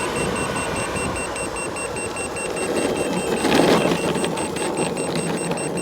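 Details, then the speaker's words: Boosted Board V2 electric skateboard after shred lights were fitted: at about 23–24 mph the remote beeps rapidly, about four chirps a second, over road hiss as power drops to eco mode and connection is lost; motor cables and motors checked fine. "hat we're having is that when we get about 2 23 24 miles per hour the remote starts beeping like crazy and we lose power it drops down to eco mode"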